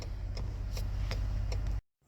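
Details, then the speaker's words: Crisp indicator clicks about every 0.4 seconds over low engine hum after replacing the bulb; turn signal now flashes at normal rate, no longer hyperflashing. "okay so it's blinking now and for the inside that's the normal uh turn light not so fast as before"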